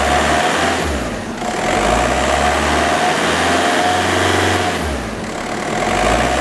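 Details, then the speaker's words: 2004 Volkswagen Jetta TDI, 1.9 L turbo diesel, automatic, 179,000 miles, diesel idle rising and falling evenly through two throttle blips with no knocks or misses; runs exceptionally well. "the vehicle does currently have 179 000 miles but still runs exceptionally well"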